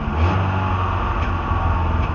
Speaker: Um now we got to fix the carburetor, but that'll be for the another video. Um cuz this is probably going to be long enough one. But as you can probably hear from the popping